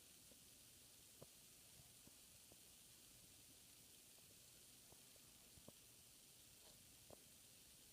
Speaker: this is low speed it only hums just slightly but you can barely hear it and the bearings are excellent